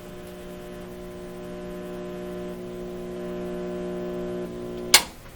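Loud steady low hum with a buzzy stack of overtones from power-up until switch-off; the amplifier hums badly and needs repair.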